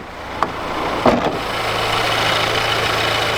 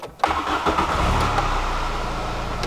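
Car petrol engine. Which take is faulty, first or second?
second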